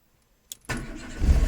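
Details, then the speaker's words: Renault Twingo 1.2 16V that would not start, after the fix: brief click, engine catches within a fraction of a second and settles into steady even low idle; clean start, though engine warning light then came on. "ça redémarre direct. Ouh, content."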